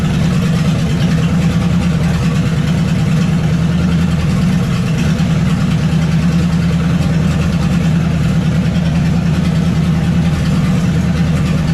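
Deep, steady, lumpy V8 idle with even firing and no knocks or ticks; it sounds like a healthy idle.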